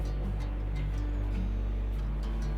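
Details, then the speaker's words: LG 5.5 kg front-load direct-drive washing machine spinning after repair, with the motor refitted and its harness reconnected: a soft, steady, even low hum. Before repair it surged suddenly to high spin and stopped with a noise, traced to the Hall sensor. "अभी smoothly चल रहा है। कोई sound नहीं हो रहा है अभी।"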